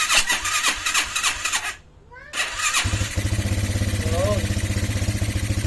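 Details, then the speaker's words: Restored Motorstar classic motorcycle, freshly fueled and oiled with oil pump checked, battery fitted: cranks on the starter, catches and settles into a steady, even idle with no knock or rattle; now quiet, only the carburetor audible, unlike before. "Tahimik na yung makina niya. Di gaya nung dati. Dito natin dito. Carburetor na lang yung nadidinig."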